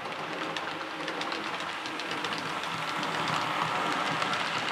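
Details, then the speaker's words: Model locomotive test-running after its noisy motor was replaced: only soft, even wheel clicks over rail joints, no motor growl or whine; running quietly and smoothly, a bit better. "that's a bit better"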